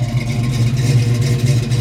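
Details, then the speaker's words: 1968 Pontiac GTO 6.5-liter 4-speed survivor with Flowmaster exhaust, said to run good: deep, even burbling exhaust with smooth throttle blips and no knocks or misses; normal V8 exhaust note. "This is a black 4-speed car. It's got Flowmaster exhaust. You can hear the exhaust."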